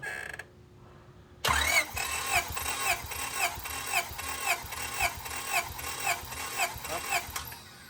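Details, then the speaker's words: Honda Civic SiR B16A freshly rebuilt with 81.5mm ARIAS pistons, never run, compression test cranking on cylinder four (226 psi, others 225–226); steady even rhythm about two beats a second, no uneven beats; consistent, healthy compression. "oh yeah 226. so now let's go back to number one just to be sure"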